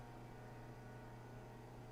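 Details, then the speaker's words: Older dryer that quit spinning, started: steady low motor hum with no drum tumbling; motor runs freely, door switch clicking, broken drum belt needing replacement. "So, first thing, when you start it, you still hear something going on. You hear it trying to run."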